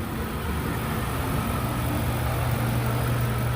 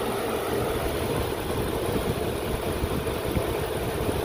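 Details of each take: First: 2002 Lincoln Continental 4.6 L 32-valve V8 at idle after cleaning the mass airflow sensor and refitting the air intake: low, even idle with no shudder or stumble; idle misfire fixed. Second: 2002 Lincoln Continental 4.6 L 32-valve V8 idling: steady low idle with occasional hiccup and brief uneven shudder, stumble at and just off idle in gear; unmetered air leak from intake tube separated after an air-filter change.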